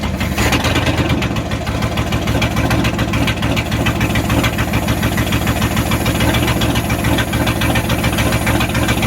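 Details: 1994 Dodge Ram 1500 318 (5.2L) V8 after rodent wiring, vacuum line and fuel pump sending unit repairs, catalytic converter missing: rough loud open-exhaust idle, slight unevenness; runs, possibly not smoothly yet, bad wires or clogged injectors suspected.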